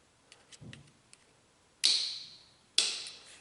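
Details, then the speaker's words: 1995 Honda Fourtrax ATV, no-start, owner reported no spark: jumping the starter solenoid, two sharp clicks as it closes but no cranking; 13 volts on the battery side, none on the starter side, so the solenoid passes no power. "You can hear it close, but we're not getting any power. We're not getting any starting action."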